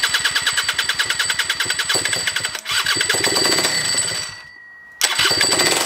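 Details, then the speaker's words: Rebuilt scooter two-stroke (old parts reused) at first start, no tank. Sharp, rapid popping at about ten beats a second, dropping out and catching again; angry, higher compression than stock, running. "hey that runs for longer than i expected considering it doesn't have a fuel tank but it's definitely running it sounds pretty angry i can hear from the way the starter turns over it's definitely higher compression than the stock engine"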